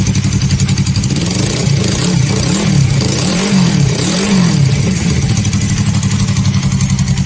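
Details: Suzuki Inazuma GW250 twin with newly fitted custom exhaust, outdoors in wind: deep even idle throb, then several clean blips rising and falling smoothly; healthy, just a louder exhaust.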